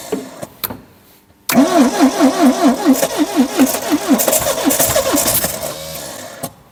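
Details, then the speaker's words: 1972 Triumph Dolomite 1850, parked since 1990: starter whirrs in uneven pulses about twice a second with weak catches that never take; cranks but won't start, fuel pump seized (owner thinks rusted in), needs replacing. "uh this one seems to be stuck I think probably rusted in so I need to get a new fuel pump but I'm pretty sure I still can start it because it's almost started"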